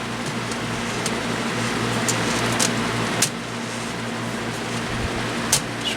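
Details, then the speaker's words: Repaired Lasko Cool Colors box fan on low: steady airy whoosh over a low buzzing hum with high-frequency whirring and something vibrating, noticeable but not terrible. "it's not terrible but it's definitely noticeable doesn't shape too bad something's vibrating"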